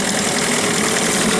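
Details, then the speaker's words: New Hangkai 9.8 two-stroke outboard about 6 hours into barrel break-in, burning the break-in mix: buzzy even rattle at steady speed, smoky. No misfires or knocks, engine 40–45°C, pump checked; it runs normally. "Мотор у нас продолжает кататься. Дымим, пердим."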